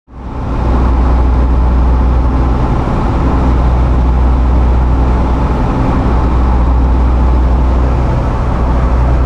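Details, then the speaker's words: Jeep JL Wrangler while driving: a steady deep drone under the road noise with a slow, pulsing "w-w-w" wobble, felt more than heard. Driveline vibration from the front driveshaft. "that is the sound of a front drive shaft vibrating so as you may or may not have been able to hear in the video clip that we just played we now have Drive Line vibrations it's a kind of an oscillating sound that you can almost feel more than you can hear kind of a w w w sound"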